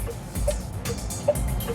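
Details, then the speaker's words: EV on a test drive: soft, even tick-tock turn signal click with a light pip, about 150 per minute, over road hum; normal indicator sound. "Also, I like that click, click, click."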